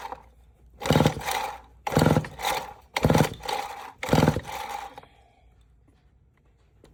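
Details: Vintage Homelite 7-19 chainsaw (late 1950s–early 60s) with weak spark, parts cleaner sprayed in: four rasping pull-cord strokes about a second apart, never fires. Compression only about 60–70 psi; stuck rings suspected.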